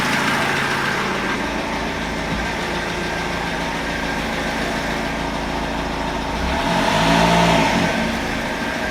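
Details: BMW E46 320d diesel at idle after timing chain replacement (slightly better): fairly regular light knock about four per second, tone changes with rev blip; owner suspects crankshaft, rod bearing or hydraulic lifter, source unclear.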